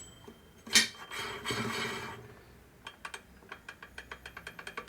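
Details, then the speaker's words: 1946 Harley knucklehead motor rebuild: a brand-new repop gear is rocked by hand, giving light sharp clicks about twice a second; its free play is about the same as the old gear's, so the gear is not the problem. "and you hear the play it's about the same but we know it's not the gear that's different"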